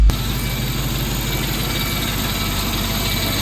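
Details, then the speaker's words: 1998 Mercedes W202 C43 AMG ute V8 idling after replacing EGR valve (diaphragm stuck), MAF and coil pack for P0300/P0305/P0307 misfires that bogged above 3500 rpm; now a smooth, steady, even idle with no missed beats. "This sounds remarkably better now."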